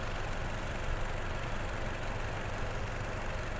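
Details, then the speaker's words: Toyota Innova engine after being taken apart three times; low, even idle with no knocks, ticks or rough patches, previous rough sound now smooth; normal idle. "Jadi kita gak mau ada kendala yang suara kasar ini Alhamdulillah sudah halus juga ini tinggal kita diamkan nanti di bengkel sambil kita lihat untuk langsam idolnya gitu"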